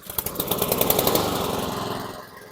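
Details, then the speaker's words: 2014 Troy-Bilt TB130 mower: small engine puttering at a slow, slightly uneven idle that sags; owner had said idle was low, rpm slightly under par and needs adjusting up. "So you can hear the idle's a little low. When he first dropped it off, he did mention that to me when I started. He said, "Oh, the idle's a little low,""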